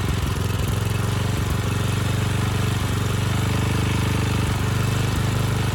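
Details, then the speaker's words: Briggs & Stratton Storm Responder generator repowered with a rebuilt 10hp engine (model 21T212-0116-G1), test run without the stator heat shield: heavy firing-rate thump with a hard knock on each stroke; the knock is not where the tins meet, as first suspected; cause unknown. "well there's good news and bad news and i think you can tell what the bad news is but the good news is the powerhead seems to work fine the bad news is that noise"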